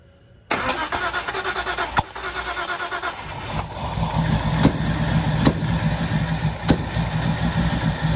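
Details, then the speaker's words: Datsun 240Z with freshly installed L28 engine catches and runs rough with sharp irregular backfiring pops every second or so on first start; plug wires on cylinders two and three were swapped. "okay so we figured it out i put wired on wrong on number one two and three two and three yeah i just reversed them so it was it was like off back firing popping going that makes a lot of sense"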